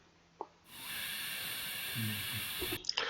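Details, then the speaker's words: Pressurised water pipe leak heard through a ground listening device after gas injection and boundary finding: a steady high hiss rises and holds about two seconds, then cuts off; not audible to the bare ear. "이 휘 올라오는 소리가 누수음이에요. 누수음. 이게 파이프가 있고 파이프가 이렇게 있고 이 안에 이제 덮여 있는 게 여기서 듣는 거죠."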